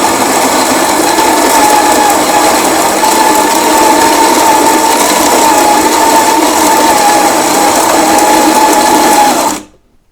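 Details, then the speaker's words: Grinder on a used 2022 Lelit Anita coffee machine, grind adjusted coarser after too-fine shot: even, steady motor whir then clean stop; grind clearly faster, no strain, running normally. "Well, the grind is clearly faster."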